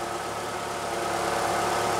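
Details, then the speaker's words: 2009-2012 Ford Escape after condenser replacement and recharge, idling with A/C on max and high: steady, even idle with smooth compressor hum, no rattles or squeals; low side about 30 psi, high side 230; normal A/C operation. "the cheesy cord compressor sounds like a bad case of constipation but it appears to be working"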